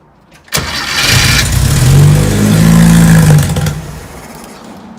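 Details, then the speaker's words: VW Beetle being restored after sitting, fuel tank empty, second start attempt on starter fluid sprayed in: cranks, blows smoke, catches and revs rough for about three seconds, then dies from fuel starvation. "All right, well, it at least cranked over for a second and blew all that smoke out."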